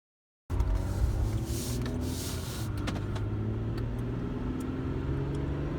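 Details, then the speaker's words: 2008 Ford Fusion SE 3.0L FWD after repair of misfire codes P0351 onward (shorted ignition coil damaged the PCM), running with the rebuilt original PCM reinstalled, no programming needed; engine catches at once and settles into a steady, even idle, no misfire. "and this is what it sounds like when it's done turn key operation no need to program"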